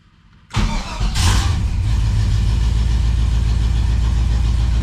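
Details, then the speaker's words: 1978 Chevy Camaro drag car V8, after rewiring, battery relocation, new starter and fuel pump priming: short crank, catches at once and settles into a steady even low idle; normal start. "Fired right up."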